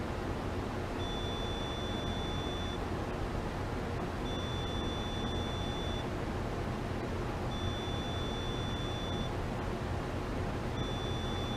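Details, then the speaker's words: AO-91 (Fox-1B) amateur radio satellite pre-launch test audio: repeating low tones, each about two seconds every three seconds over hiss; the transmit antenna never deployed because a shorted burn resistor circuit reset the IHU, restarting the 50-minute timer cycle. "the short caused the I hu to reset which is why I continued to hear low tones because it went back to the beginning of that 50-minute timer cycle"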